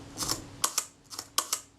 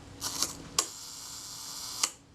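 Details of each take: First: Kodak Retina II shutter being serviced, fired at 1/10 s: four crisp double clicks, each opening and closing about a tenth of a second apart; the timing sounds credible and normal. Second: Kodak Retina II shutter being serviced, tested at the 1 s setting: cocking clicks, then open and close clicks about 1.25 s apart; the 1 s speed is possibly slightly slow.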